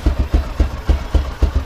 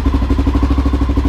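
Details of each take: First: 2000 Honda XR650L big single, first start after TM40-6 carburetor installed, chilly about 40-45°F: loping idle with slow uneven thumps about four a second; idle needs adjusting. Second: 2000 Honda XR650L, first start after a TM40-6 carburetor was installed, in the cold at about 40–45°F and warming up: an even, thumping single-cylinder idle at about ten beats per second. It idles normally, though the idle still needs adjusting.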